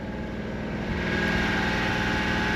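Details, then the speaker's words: 1996 Honda Street van after tune-up (new plugs, wires, coil wire, valve cover gaskets, oil change, timing): starts on first crank, settles to smooth even idle with steady low hum, no knocks or misses. "We're gonna start it up, and then I'll get her out. One crank, starts right up."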